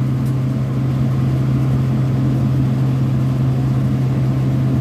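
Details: Vertiv Liebert PDX precision cooling unit, scroll compressor in a manual run at about 50% capacity with the fan turned down to 50%, discharge pressure around 214 and modulating; steady low hum with even airy rush, normal part-load running.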